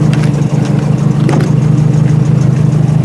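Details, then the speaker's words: Nissan 240 with CA engine after a street-drift crash, idling: loose tinny rattles and squeaks as the headlights and crash-damaged body shake with the engine. Engine itself fine. "things rattling over here. There's just things that rattle."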